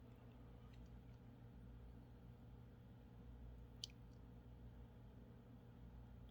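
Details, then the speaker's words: Haier mini fridge that won't cool: a faint low hum as the compressor tries to start, then sharp clicks; the clicking shows the compressor start relay is bad. "so and you had to hear that click so that tick just tells me that yes the relay is bad"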